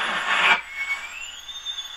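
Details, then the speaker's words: 1935 Silver Bell mystery radio after capacitor replacement; hiss drops into a clean rising, holding whistle as tuning goes up the band: oscillation, which he hopes to trim out by adjusting the two side trimmer capacitors not on the schematic. "goes into oscillation so I feel like we may be able to trim that out"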